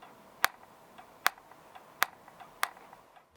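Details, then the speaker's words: Gaming laptop (unit 5) pressed at the lower right gives four sharp plastic clicks about a second apart; a front-centre bottom-case clip left unfastened at the factory let outside pressure deform the bottom cover. "La presión externa provocó la deformación de la tapa inferior. Por eso, al presionarlo, se oye un ruido extraño."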